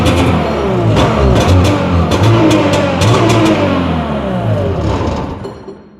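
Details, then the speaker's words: 1982 (owner thinks) Arctic Cat Jag 440 snowmobile, sat for years, after cleaning NGK racing plugs: raspy two-stroke starts and revs unevenly briefly, shut off quickly since oil injection isn't working; normal running. "on all right let's go she started didn't want to leave it running or try to keep it running because obviously the oil injection system isn't working"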